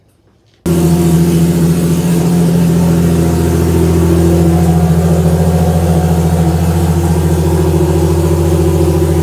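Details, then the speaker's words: Toyota Supra during TX2K21 prep, start after reinstalling cleaned, flow-tested injectors and installing the fuel pump: fires instantly and settles into a smooth, even idle with a steady deep hum and no knocks or misses. "and i'm packing it up for the day but we got quite a bit done as you saw the car fires up and runs"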